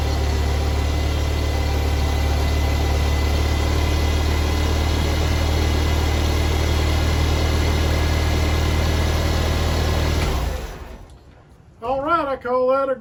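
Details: 1955 Farmall Cub tractor with 6-volt charging system, after fuel sediment bowl leak repair and charging fix under $30, run in neutral on low gas: steady, even low thrum for ten seconds, no misses or knocks, then clean shutdown; normal running, charging succeeded.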